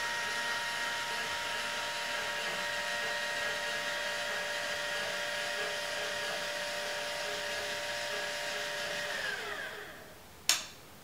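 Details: Celestron CGEM mount after a DIY Hypertune-style rebuild with new bearings, slewing: steady high motor-and-gear whine with swells in loudness. Somewhat quieter overall, but loud points in RA suggest possible gear binding or stiction, unconfirmed.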